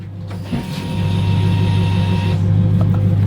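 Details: Turbo Chevrolet Silverado with new 1500cc injectors and new performance fuel pump, key on: steady electric whine about two seconds over a low hum then cuts off; fuel pump priming normally.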